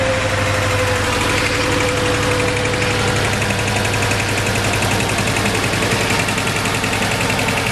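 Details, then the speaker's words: 2006 Mercedes A150 (W169) four-cylinder idling with uneven lumpy pulse and dropped beats; cylinder 4 misfire despite spark, fuel and compression, traced to injector 4 open circuit, fixed by bypassing injector wiring. "And I know there is fuel because all the other cylinders work, and I know there's compression because I checked, but still it's misfiring."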